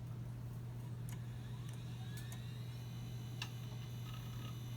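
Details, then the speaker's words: iMac G3 Snow after fitting a new P/AV board with the old power supply: only low steady hum, faint clicks and CD drive at power-on, no startup chime or picture; power or video board fault suspected. "no chime that's new nothing on the screen which is sort of expected here the cd-drive going"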